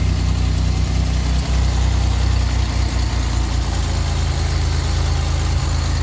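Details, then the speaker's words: Pontiac engine at idle after checking all six and reconnecting purge valve and vacuum brake booster line: loud deep idle with faint uneven ticking puff; owner hears exhaust leak at manifold/downpipe and a slight miss. Exhaust leak. "Definitely still hear an exhaust leak. Still feel my manifold downpipe. Still kind of sounds like it's missing a little bit."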